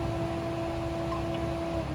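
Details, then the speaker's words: Wuling Air EV modified AC cycling, front condenser fan running before stopping: steady whirring, constant mid-range hum, no rattle or scrape; normal, noisy condenser fan operation. "Ini suara kipasnya masih nyala ya. Dengerin teman-teman ya. Suara kipasnya masih kedengeran ya, berisik ya."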